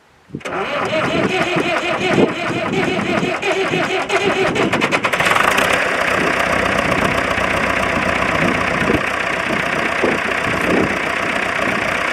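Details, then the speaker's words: David Brown 996 diesel tractor that sat about 10 years in undergrowth, started with jump leads straight to battery; cranks briefly, catches, settles into even steady diesel clatter without stumbling; clean start and healthy idle. "ah yes it lives oh man that was superb"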